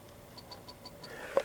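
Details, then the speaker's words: Honda Ruckus scooter starter problem, longstanding, powered by a weak battery with blown cells: faint quick ticks about six a second, starter trying to energize but not cranking; suspected bad connection or fault upstream, not confirmed. "we've either got a bad connection down here or we have a problem up here but electrics are not my strong suit you can hear it that's a starter trying to energize"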